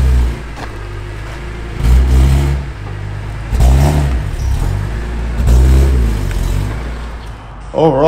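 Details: BMW E46 M3 at 160k miles, just after rod bearing replacement, VANOS overhaul and subframe reinforcement, with headers and cats removed: clean start settling into a steady idle, then sharp even throttle blips rising and falling smoothly with no knocks; healthy engine.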